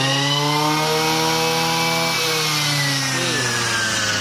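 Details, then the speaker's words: Used Japanese Robin NB223 23cc two-stroke brush cutter, lightweight: high, steady buzzing whine at full throttle, even and unbroken with no stumbling or rattle; quiet for its type, healthy. "เสียงไม่เสียงไม่ดังนะรุ่นนี้เป็นรุ่นที่หลายท่านชอบนะเพราะว่าเป็นโรบินที่เสียงไม่ค่อยดัง"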